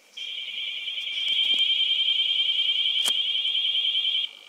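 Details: Sinclair ZX81 tape save/load using an older data recorder able to handle its low output: a steady high tone of about three kilohertz holds for about four seconds with no dropouts, a clean data load.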